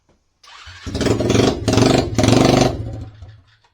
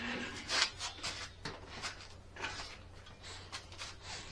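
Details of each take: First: SSR pit bike before repair, with the exhaust bracket broken and the muffler broken off: small single starts and blips with a harsh, very loud raspy bark on each rev. Loud exhaust from the broken muffler, to be welded back on. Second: SSR pit bike after welding the broken muffler and exhaust bracket back on: the single fires and settles into an even, muted exhaust note, way quieter, no rattle or blowing; normal running with quiet exhaust.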